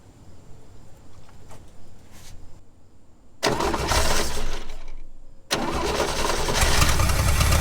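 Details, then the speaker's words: 1969 Chevrolet Bel Air 6-cylinder barn find, sat 10 years; fuel pump suspected dead. Cranks, catches on poured gas and starting fluid, runs ragged and sags, then picks up on more spray; won't run on its own. "I don't think the fuel pump is working, so what I'm going to do, I'm going to grab the starting fluid, pour a little bit of gas in it to get it started, and then just keep spraying it."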